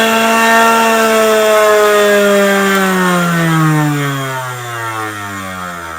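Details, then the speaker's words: Harbor Freight variable-speed tool (up to 10,000 RPM) on its lowest setting: high steady motor whine sinking smoothly as the wheel coasts down; still far too fast for sharpening, would heat the tool too quickly. "Even when you put it on low, I'll turn it on real quick, you'll see that it even spins way too fast for sharpening. It'll heat your tool up way too quick. So this is just the lowest setting right here. It's way too fast."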